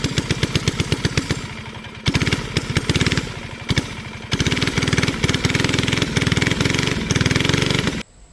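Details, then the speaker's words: Flathead Briggs & Stratton alcohol race go-kart engine, barn find sat over 30 years, running E85, first test run: pops along unevenly, stumbling and sagging in bursts, then cuts out; engine bogging, carburetor issues suspected. "We're having carburetor issues, with honestly, it's no shocker. The thing's been sitting for a while and I'm impatient."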